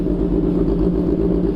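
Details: Kawasaki ZH2 started after a drained battery, jump-started via a series battery in a basement: smooth, even engine note with steady low rumble, no knocks or misfires; normal idle.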